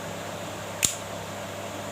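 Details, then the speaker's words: Magnetic contactor that previously hummed noisily, re-tested after the fix by powering the coil at A1/A2. One sharp clack as it pulls in, then only a faint steady background hum; the noise is gone. "দেখছেন কোনো আওয়াজ নেই।"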